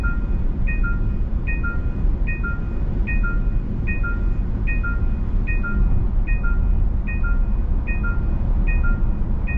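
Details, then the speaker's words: Facelifted Genesis GV70 3.5 turbo Sports Package on a highway with driving assist active: two-tone chime repeating about every 0.8 seconds over road rumble when hands-off warnings are ignored, before highway driving assist disengages. Hands-off steering wheel warning chime. "과연 경고를 무시하게 되면이 차가 [음악] 강한 패널티를 줄까요 이와 같은 경고음은 기존 제네시스에 있었고요"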